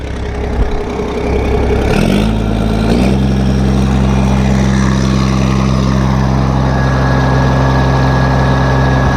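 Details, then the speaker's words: Case 1450B dozer with a freshly rebuilt diesel engine, blow-by checked after a throttle blip: the engine settles from a brief rev into a steady, low, even idle with no knock or rattle. Oil pressure is about 27 psi at idle, and it is good to go. "well there it is guys we're good to go"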